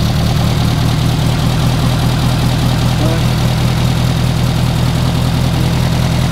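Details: Renault R8 Gordini rebuilt engine restarted to warm up before carburettor synchronisation and an ignition advance check: a loud, steady low idle of about two and a half pulses a second, with no misses or knocks. The running sound is judged very good; normal warm-up idle.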